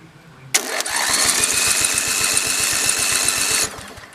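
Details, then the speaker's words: Lawn mower being stripped for a racing build, starter jumped straight from the battery's hot lead: a strong starter whir with even compression thumps about nine a second for three seconds. Normal starter cranking. "So everything is grounded, so if I touch this to that hot lead right there, oop, I do have to be careful about not grounding out the other end of it. It should spin that starter."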